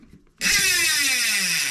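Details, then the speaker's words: DT Swiss hub with cheap AliExpress 60-tooth star ratchet upgrade freshly installed and greased, wheel coasting: rapid fine clicking blending into a high buzz that eases as it slows; freewheel ratchet sounds healthy. "ratchet sounds good"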